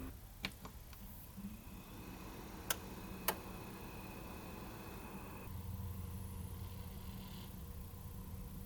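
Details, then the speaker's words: Enermax Revolution SFX 550W power supply in an open-air system, loud even at idle: fan whine cycles every few seconds, spinning up then back to zero RPM; before-and-after of replacing it with a Thermalright TL-8015W 80 mm slim fan, noise greatly reduced. "Every few seconds there's a cycling whining noise, which is a sound of the fan spinning up and then slowing back down again to zero RPM. Then this cycle just repeats."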